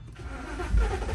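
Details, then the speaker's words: 2013 BMW E93 328i N51 M-Sport after crank-no-start: low, even rumble settling into a smooth steady idle, running nicely. "running okay as you can see the car is running it's running nicely actually"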